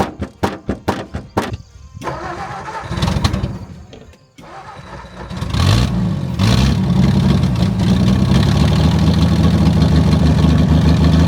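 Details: 1959 Ford Edsel after sitting over a decade, started on carburetor with glass fuel bowl: cranks in quick bursts, catches into loud uneven run with raspy chuffing; fuel pump gone and a large exhaust leak.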